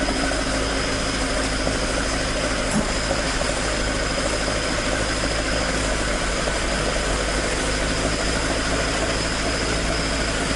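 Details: Toyota AE86 with 4A-G engine after exhaust leak repair, stock exhaust: an even idle that holds its pitch for ten seconds, with no ticking, chuffing or rattle. Normal idle with a tight exhaust.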